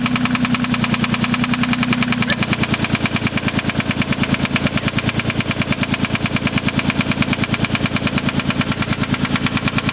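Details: 1993 Mitsubishi 3000GT SL, 109k miles, at idle with a sharp, even knock about three per second, suggesting a bottom-end knock; owner suspects a spun bearing, unconfirmed.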